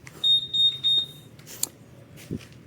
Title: paano palitan ang ANSWER BACK or BEEP ni Giorno + real quick ? #giornoplus #philippines